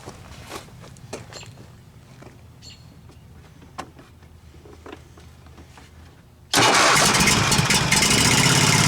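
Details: Husqvarna Z254 zero-turn mower engine after ignition coil replacement, run briefly with the shroud off so cooling air isn't flowing through; engine catches and settles into a loud, steady, even idle without misfires, now sounds pretty good.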